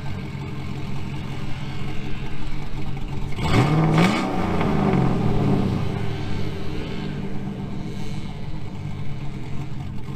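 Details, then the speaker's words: 2000 GMC Sierra 5.3 with Texas Speed Stage 3 cam (.550/.550, 216/220, 112 LSA) running with its tune reinstalled: cranks, catches at once and settles into a steady, slightly lumpy idle; stays running in gear without needing throttle. "You could hear it started up perfectly, put it in gear, didn't die, didn't have to mash the gas to keep it running."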